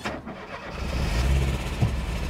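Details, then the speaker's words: 1980 Porsche 924 after sitting parked for decades, genuine cold start, first run in about 25 years: engine cranks, catches and settles to a low idle that wavers and stumbles slightly; running a little rough but idling. "it is running a little rough but hey it's idling there it is"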